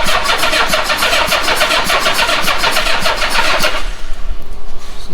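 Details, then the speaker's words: Cheap old Honda Goldwing with four carbs, sitting long and mouse-infested: fast even cranking, catches briefly then dies; owner suspects gummed-up carbs not passing fuel. "I don't think those carbs are letting any fuel."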